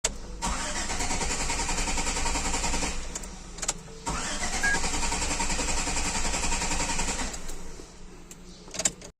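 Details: Car engine cranking but won't start: the starter turns the engine over in even chugging bursts over two long attempts, but it never catches or fires.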